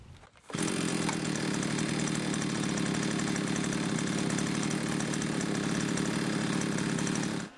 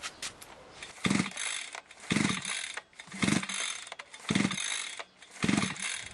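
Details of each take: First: Limex Expert two-stroke string trimmer after carburetor cleaning and reassembly: it starts at once and holds a steady, even high buzz without stumbling. It runs much better after the repair. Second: Limex 524BA brushcutter that worked well but recently stopped starting and ran intermittently. Primed, choke closed, ignition on. Five recoil pulls give short rasping spins with no firing. The plug was dry, so no fuel is arriving.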